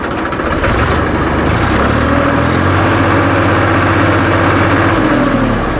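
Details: 2013 Massey Ferguson 1035 DI tractor diesel after fitting a new-model thick TAFE silencer to replace one that sounded very loud and wrong: steady deep thump about four beats a second, swelling smoothly with throttle, well muffled.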